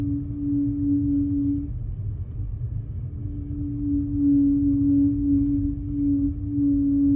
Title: A6 humming noise